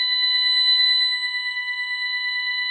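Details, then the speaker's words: Ademco 6128 alarm keypad, burglary zone 08 activated: a loud, steady, unbroken shrill tone as the keypad sounds a triggered burglary alarm, showing alarm 08. "And now you can hear that the alarm is active. So it should pop up here with alarm 08 right there."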